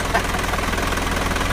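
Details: Mazda 4HF1 diesel, rebuilt after knocking caused by a broken oil pump (new pump, main bearings, piston rings, liner, thrust washers), first start: steady even idle clatter with a smooth regular beat and no knocking. It sounds healthy.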